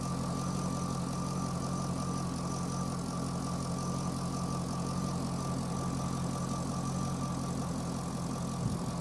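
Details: Chevrolet Corvette with a P0300 code; an in-cylinder test showed the injectors firing at the wrong time. Uneven idle with an irregular stumble about every third of a second over a steady low rumble. The injector current looks good at about 60 V peak, and cam/crank correlation is off by one tooth.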